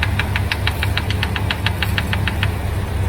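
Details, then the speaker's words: 1978 Ford F-350 parked 11 years, just restarted after carburetor flooding: loose uneven idle with sharp rapid ticking about four or five per second; runs rough with poor throttle response, cause suspected, not confirmed. "let's see if the accelerator is doing some accelerating ah son of a gun we got we gotta actually do stuff to it"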